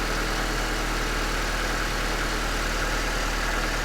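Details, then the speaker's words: Nissan 200SX after mass airflow sensor replacement: smooth, even low idle with a steady pulse and no misses, knocks or hunting; normal idle, running right. "this car is almost ready guys and he's a good detail but she's running right"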